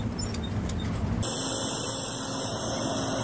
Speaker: and that is coil wine and I'm going to explain to you today what coil wine is how to get rid of it or if you can claim any warranty on those components that are well making that noise